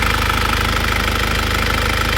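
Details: After repair of a 2001 Isuzu Panther diesel: pistons and rings replaced, liners reconditioned, engine warm at 82°. Steady, even tick-over with injector clatter and no misses or extra knocks. No blow-by and no compression leakage; a normal idle.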